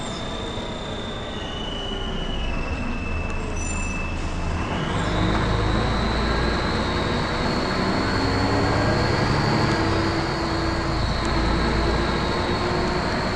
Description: First Manchester Volvo B10BLE, with a strange, high pitched noise.